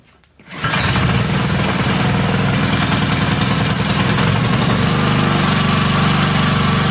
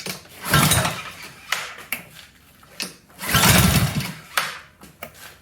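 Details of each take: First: Honda GCV160 pressure washer engine after carb replacement, new gaskets, new spark plug and refitted governor spring: starts cleanly, runs steady and even with no misses or knocks, then shuts off; works like new. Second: Honda GCV160 pressure washer engine after new carburetor, fresh fuel and gaskets: surges and dies back in uneven bursts instead of holding speed; governor spring fell off while the plate was loose, so speed control is lost.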